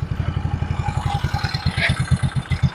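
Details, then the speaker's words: Yamaha Mio Soul scooter road test after replacing the variator sliders: even, quick engine pulses with the earlier takatak rattling and clinking from the transmission now gone. "Hanggang naman siya, hindi na po siya ganun kaingay na parang takatakatak sounds na parang may kumakalansing. Okay na po."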